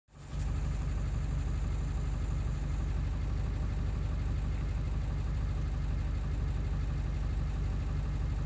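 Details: Ford 7.3 diesel running after ICP sensor replacement, still not running well: deep idle with an uneven, loping beat about three pulses a second that never settles; rough idle, cause not found.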